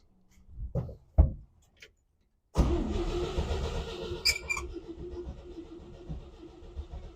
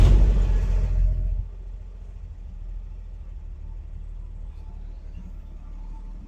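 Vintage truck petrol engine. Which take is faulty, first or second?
first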